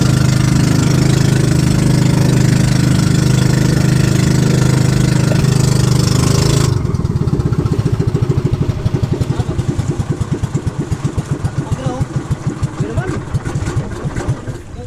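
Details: Brand-new outboard on a fishing boat that kept stalling and was hard to start gives a steady low hum, then an even putter of about four beats a second, running smoothly; mechanic found nothing wrong with the engine.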